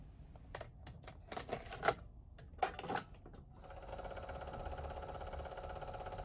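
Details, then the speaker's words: Sanyo VTC-H5 portable Beta Hi-Fi VCR: the cassette door clicks shut, then the motor hums steadily, but Play, FF and Rewind do nothing and only Eject works; bad belts suspected. "When press down the cassette door, we can hear the motor humming sound Press Play , FF ,or RWD button but the VCR does not work All functions do not work Only eject button works For older VCRs like this, most often the problem is due to bad belts"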